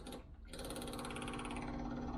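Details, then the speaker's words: Range Rover with a temporary fuel supply and an electric pump mounted on the inner wing, powered by a direct positive feed: steady, even electric hum with a faint fast buzz and no surging; pump running normally. "um so really just my fuel pump is activated just by giving that a positive feed and we can hear it"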